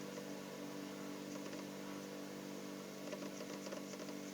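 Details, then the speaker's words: Refrigerator compressor, after flushing oil out of the condenser/vacuum pipe, running tens of minutes later: even, steady low hum with no knocking or rattling; the earlier noise is gone and it runs smoothly and cools. "jadi langkahnya seperti awalnya bunyi kemudian ini sudah tidak bunyi lagi. Artinya ini sudah halus."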